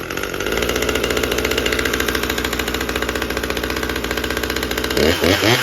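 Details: Husqvarna T540 XP Mark III chainsaw, acting up again a month after a new fuel filter, cold start: fast, buzzy two-stroke idle that wavers and pulses, then surges on throttle; running poorly.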